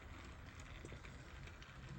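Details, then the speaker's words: Hornby L1 2-6-4 tank locomotive model, owned since 2011, stiff after sitting in its box, now serviced: quiet steady low whirr, no stutter or surging as it pulls along; runs nicely, normal running. "So yeah, that runs nicely now."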